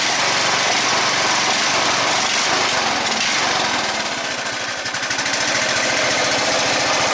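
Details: Red lawn tractor, 14.5 Briggs & Stratton, after fuel line replacement: steady buzzy single-cylinder idle with even firing, no surging or dying; running normally after repair.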